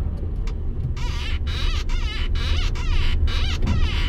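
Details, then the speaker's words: Van being converted to a camper, driving at about −1°C on the way to the mechanic: chirpy high squeaks repeating two to three times a second over the low rumble. Owner says the clutch squeaks constantly; cause unconfirmed. "mój sprzęgła Skrzypi mi tutaj przez cały czas"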